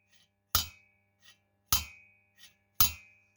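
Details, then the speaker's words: Cox 1776 engine cylinder head after valve lapping: three crisp metallic snaps, each ringing briefly, as the valve drops and closes cleanly onto its freshly lapped seat, which shows an even grey contact ring. "On entend le bruit, au bruit quand elle claque."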